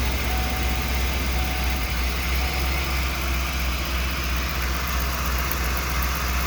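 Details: 1994 Ford E350 Club Wagon 351 V8, cold idle: low uneven stumble about three times a second, a misfire that mostly fades when warm and is worse under load; base timing about 10, owner suspects a leaking PCV grommet.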